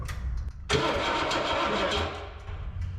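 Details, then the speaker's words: 1960 Cadillac Coupe DeVille barn find, sitting since 1974, jump pack: spark present and fuel squirting, starter cranks engine at even pace for seconds but not even a pop: crank, no start. "We got spark. Should have fuel, I can hear it squirting. Okay. Not even a pop."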